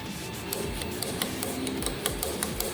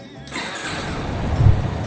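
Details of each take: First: Yamaha Fazer 250 starter motor run on the bench: hum with sharp uneven clicks and clatter; brushes fine but four magnets broke and came unglued from the housing; starter replacement needed. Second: Yamaha Fazer 250 after oil and filter change and new battery: the starter cranks the engine smoothly with no strange noise.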